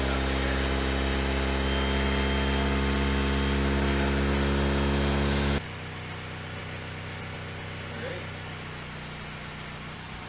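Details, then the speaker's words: Honda Civic hatch flood car, first start after installing freshened replacement engine with new seals, water pump, timing belt, tensioner, plugs, clutch/flywheel; no air intake and some sensors missing: smooth steady 1,000 rpm idle, no knocks or misses, healthy. "it's running good now with no one in the car it's is running on its own it's a steady 1,000 rpm idle I think that's pretty good"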